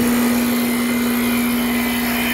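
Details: Goodman heat pump compressor right after the failed potential relay was replaced with a spare three-wire potential relay (start capacitor stuck in circuit had caused overload trips); steady even hum with fan rush, compressor starts and keeps running normally.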